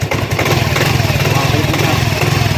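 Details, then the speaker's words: Yamaha Mio i 125 scooter after replacing starter motor carbon brushes; previously hard starting, cranking weak like a flat battery despite a new battery, now starts quickly; steady even low putter settling after a quick start, no misses, healthy idle. "Saglit na lang siya yung start niya."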